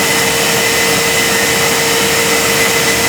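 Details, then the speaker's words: Ariston tumble dryer, 8 kg, disassembled, intake fan running: steady high whirring with thin ringing tone over fan rush; damaged motor bearings confirmed, motor must be removed and bearings replaced. "you have to remove the motor and from the motor you have to replace the bearings so the noise you hear is the damaged bearings"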